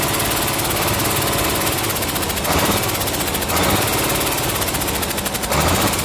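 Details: Komatsu S6D125 diesel on test run after general overhaul (broken No.5 piston, spun No.4 conrod bearing; crankshaft, liners, pistons, conrods, bearings replaced; turbo repaired, FIP and nozzles calibrated); dense steady clatter, even firing pulses, no knocks or misses; normal running.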